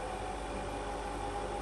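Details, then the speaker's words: Electric fan motor with cover removed, steady drone with whining buzz around 700 Hz getting louder at higher speed settings; noise from dry bearings at both front and rear of the motor. "ลองหมุนแกนพัดลมดูนะครับตอนนี้จะมีเสียงอ่าเสียงดังจากลูกปืนทั้ง2ฝั่งนะครับที่อยู่ด้านหน้าและด้านหลังของMotor"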